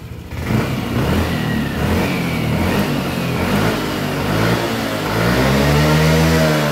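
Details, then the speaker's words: Yamaha Lexi 125 scooter, weak on hills, revs held back at the top: at full throttle revs climb slowly and flatten, never reaching a clean high pitch; traced to a faulty injector. "ya bisa didengar sendiri sama teman-teman pada saat kita gaspol jadi seperti ada tertahan ya"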